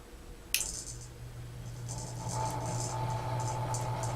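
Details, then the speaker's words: Vintage 36-inch Emerson Casablanca friction drive ceiling fan, new in box, first power-up before wall speed control installed: motor hum spinning up with light irregular ticking rattle; owner suspects loose canopy; rattle on start-up. "It may be the canopy making that noise, so when I get that tightened up, that may stop that noise."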